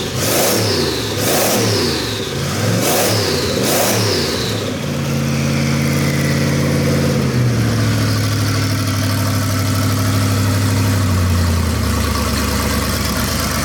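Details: Chevy small-block 350 V8 rat rod after a turbo cam swap and break-in: four sharp throttle blips that climb and fall cleanly, then a steady, slightly lumpy cam idle. Normal idle and revs, crisp and healthy.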